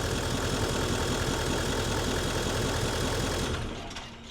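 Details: Nissan Titan XD diesel pickup idling after repair, steady even clatter with the earlier pump howling gone; owner feared failed CP4 high-pressure pump and contaminated fuel system, but the real problem was another part, now replaced; normal idle.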